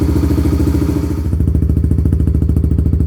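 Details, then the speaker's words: Kawasaki Lakota quad, first start after new exhaust and rejetting, no choke, warming up after sitting a couple days: deep, even thumping idle about three and a half pulses a second, no misses; healthy. "Man, that's got a nice, deep, mellow tone."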